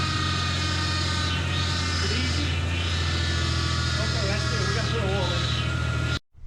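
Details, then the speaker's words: Fuel-injected 2.9 Ford Bronco II started after sitting in a field since 2001: steady whine over the rough idle from a power steering pump with its reservoir nearly empty of fluid. "so I had some power steering fluid sitting around see if we can put some of that in it get rid of that whining power steering pump yeah it's not on the it's not on it looks pretty empty"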